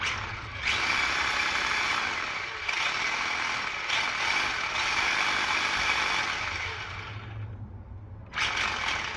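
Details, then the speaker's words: Tamiya Wild One RC car, motor refitted after pinion shaft work, cover plate off, checked for earlier vibration: steady high motor whine and even gear hum, no rattle; normal motor and gearbox running, vibration noise gone. "Well, that noise is gone. That's a good thing."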